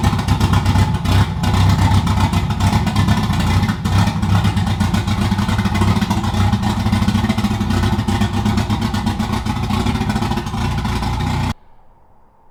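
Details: Toyota 2JZ-swapped BMW E36 on stock ECU, running after a replacement part was installed: uneven, choppy engine note with irregular stumbles and popping through the revs; engine still breaking up and misfiring under throttle.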